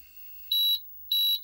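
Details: 1988 Amstrad PCW 8256 after adjusting the floppy drive sensor PCB: two long, high, steady beeps with a short gap and no drive noise beneath, signalling a disc read error.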